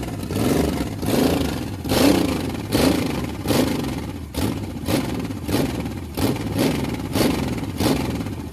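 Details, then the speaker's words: Carbureted 1986 Chevy 4.3 V6 first start after new distributor fitted, with fuel line leak found: engine surges up and down about every 0.7 seconds with a buzzy, ragged note, won't settle to steady idle; needs tuning. "all right we got some tuning to do but I love that sound like a pissed off bumblebee"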